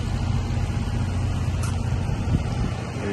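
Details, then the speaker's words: Mitsubishi ductless outdoor unit after a stuck compressor relay was replaced with a 40 A contactor (capacitor tested good): a low, even, quiet hum with no clicking or labouring, drawing about 6.8 A. Normal compressor running. "all right so just start it up compressor is on it's very quiet"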